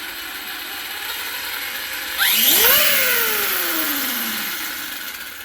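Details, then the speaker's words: New Arrma Kraton 6S EXB RC monster truck: high screechy gear-type whine/grind rising and falling with wheel speed, somewhere in the drivetrain; center diff and motor to be checked. "there it sounds almost like there's some something grinding or but it's very high pitch"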